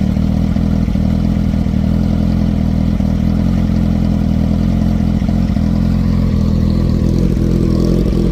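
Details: 2010 Kawasaki Ninja ZX-14 after a fuel pump replacement and cleaning of a badly clogged filter: steady, even engine drone with no stumbles or knocks; running cleanly, road test still pending.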